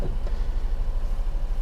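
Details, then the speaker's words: 2005 Honda Acty HA7 4WD kei truck, E07Z 658cc 3-cylinder petrol, 5-speed manual, 36,500 km, just after a cold start with the engine-cold light on; smooth, quiet, even idle with no knocks or misses; healthy. "engine sounds don't tend to come across that well on the on camera but hopefully you can tell that is a a nice quiet Honda three-cylinder engine ticking away"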